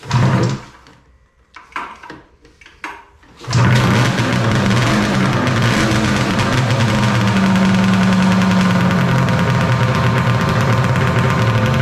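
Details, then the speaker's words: 1995 Polaris Storm 800 two-stroke triple snowmobile, 1,500 original miles, after setting the idle screws to 5.5 turns out and refitting the airbox: a few cranking bursts, then a steady even idle. Normal. "sounds like it's running pretty good now all right guys we got the airbox back in running good"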